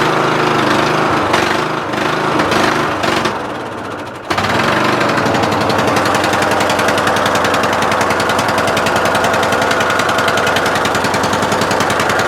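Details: Murray Select 14.5HP 42" lawn tractor with a weak battery that wouldn't charge and high compression, battery charged overnight: slow, dragging four-second crank before it catches and settles into a fast, even chugging run; hard starting, cause not confirmed.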